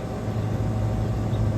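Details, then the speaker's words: Walk-in cooler condensing unit after power outage, box around 40°F: steady low hum with even condenser fan whoosh, no knocks, rattles or short-cycling; about 6 A against 10 A compressor rating, running normally. "running at six it is satisfied it just uh turned on because it was uh like 40 went up to 40 and just turned on so it's not a hot box"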